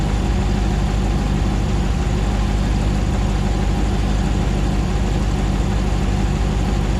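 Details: 2009 Hemi 1500 TRX4 auction truck, first start after months of rebuilding, about 87 psi oil pressure: deep, smooth, even idle with steady low rumble, no misses or ticks while warming up, no longer jerking like before; normal idle.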